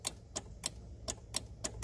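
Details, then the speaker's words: Kia Soul starter circuit tested with a test light: the key is turned and the relay clicks sharply about four times a second with no cranking, so the starter motor is bad. "and it's complete and circuit you can even hear the relay clicking so we have a bad starter"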